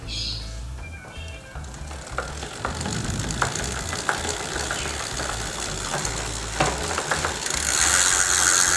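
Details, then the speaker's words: Simple bicycle freewheel with plain ball bearings and no seal: spins normally, but under pedal pressure gives sharp, slightly uneven tek-tek ticks about twice a second with felt vibration; worn freewheel clicking under load. "Inya normal tapi ketika kita mulai berikan tekanan ada noise noise ada suara tek tek tek tek gitu ya teman-teman"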